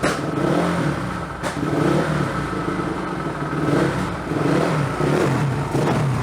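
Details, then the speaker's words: Honda CRF450R dirt bike at first start after engine reinstall, before the gas tank and new petcock are fitted. Single revs rise and drop back with a dry, uneven note and some low-down clatter; seems lean off idle and needs tuning. "Well, we got to do a little tuning on her, but she does run. That's a good thing."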